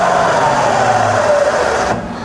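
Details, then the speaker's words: Rebuilt Bridgeport mill, variable speed head, 240V single phase, spindle switched to high range, changing over smoothly: whirring tone glides slightly in pitch then settles quietly, no clunk or grinding; healthy spindle. "okay so moving now to high range here it swaps over absolutely lovely"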